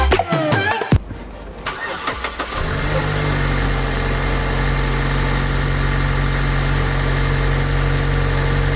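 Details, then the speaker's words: 2018 Mazda CX-9 after replacing a carbon-clogged EGR valve that triggered a check engine light: brief crank catches cleanly and settles into a smooth, steady idle with no misses or ticks; normal start and idle, light still on pending relearn. "All right, everything sounds good, looks good, sounds good."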